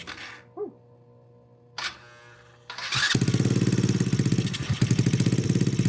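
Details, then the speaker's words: Honda Grom clone single-cylinder, first proper start after valve adjustment (compression felt low before): catches at about three seconds, steady even thumping idle, slightly high; starts and runs normally. "So, it does run. Let me turn the idle down a little bit. It was a little bit high. And that should keep running."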